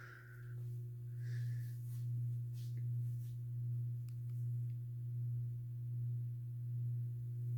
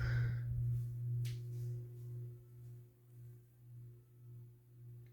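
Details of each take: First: SMC-UB42 ceiling fan, owned about three years, on low speed: a steady low hum with a gentle, even swell about once a second. It runs normally with only a mild hum, quieter than on high. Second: SMC-UB42 ceiling fan, about three years in use, on low speed: low steady hum with slow rise and fall about twice a second as it turns; motor hum still audible but less than on medium.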